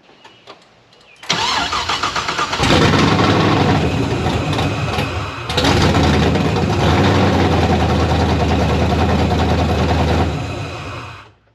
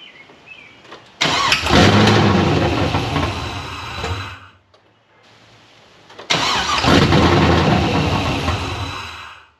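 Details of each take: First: Pontiac GTO project on open headers, with the throttle body just adjusted and the electrical issues apparently gone. A brief crank, then it catches with a loud, crackling open-pipe burble and settles into a fairly even idle before shutting off. Normal idle. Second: Pontiac GTO, open-header start: two loud starts, each roaring briefly, then fading and dying within seconds. Engine won't stay running; cause suspected, not confirmed.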